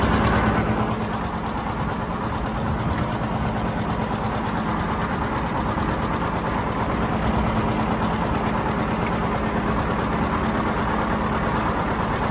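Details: John Deere 730 two-cylinder tractor disking ground with a John Deere RWA disk; slow, loping beat pulling steadily under load, no knocks or rattles; healthy running.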